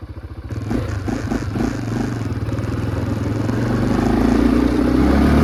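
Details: 2005 Can-Am DS650 big-bore quad after being brought back to running: single-cylinder thump picks up smoothly from about four pulses a second as throttle opens; runs well, somewhat down on power with a restricted muffler; normal running.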